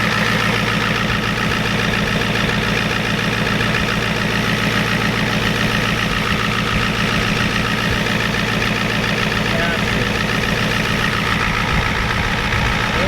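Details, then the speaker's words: 1993 Ford F-250 7.3 IDI diesel after turning the injection pump up and purging air: steady even idle clatter about three and a half beats a second, no stumbles; sounds and smells better, still burning a little oil, normal idle. "smells better so burning a little bit of oil but it's definitely a lot better"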